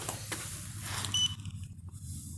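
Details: Xiaomi M365 scooter after motor repair (noise and cutting out, suspected loose motor wire): one short high beep at switch-on, no repeating error beeps; controller powers up normally.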